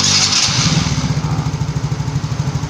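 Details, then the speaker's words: Engine after replacing the piston rings without replacing the block, and after correcting an idle that was set too high: a quick throttle blip settles to an even, steady idle thump with no rattle or miss. Smooth normal idle, smoking gone. "mesinnya sudah halus ya sudah kita bikin halus ini asamnya pun sudah hilang"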